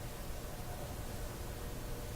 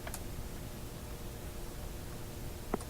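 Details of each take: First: Westinghouse 1398 AM/SW/FM tube radio after three bad or weak FM-section tubes were replaced: a steady, even hiss with no station, hum or crackle, which is normal FM interstation static. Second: Westinghouse 1398 AM/SW/FM tube radio tuned on the upper shortwave band gives irregular crackles and sharp pops over hiss and low hum. The owner suspects a dirty tuning capacitor needing cleanup; not confirmed.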